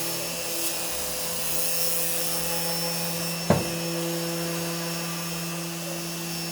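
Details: CNC machine running Mach3 after a noise problem was fixed with an opto-isolated breakout board: steady, even hum with one brief click and no other odd noises. Normal running.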